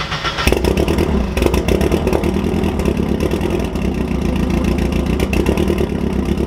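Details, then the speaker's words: 1999-05 Mazda Miata NB VVT engine with 11,000 miles on a new valvetrain, cold morning idle: lumpy, stumbling idle with light clatter, running on three cylinders; new plugs and swapped coils didn't help, and the cause was tight intake valve lash. "the car kind of runs on three cylinders in the morning and that's annoying"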